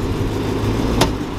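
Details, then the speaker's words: Chrysler 300 SRT idling, then shifted between reverse and drive. One loud, sharp clunk as drive engages, from the broken driveshaft-to-rear-differential coupler. "so I don't know how good y'all can hear that but it's a loud loud Clump we got to get that fixed"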